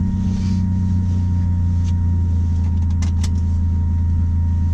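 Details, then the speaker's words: Turbo Honda Accord at idle with newly installed Walbro fuel pump: steady low idle rumble with a faint constant high whine of the loud new pump, working normally. "Listen to this fuel pump. It is pretty loud. And even at idle, I can hear that thing pumping."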